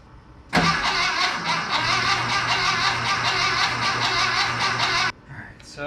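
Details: VW Bus engine just installed, first start attempt on gasoline after brake cleaner in carb: steady starter cranking with even compression pulses for about four and a half seconds, never fires; cranks, no start, owner suspects ignition timing/distributor position is off.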